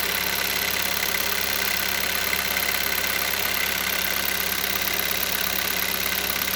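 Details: Hyundai Solaris 1.6 cold start: light, fast metallic tapping over the engine note at cold idle; engine knock when cold, cause unknown.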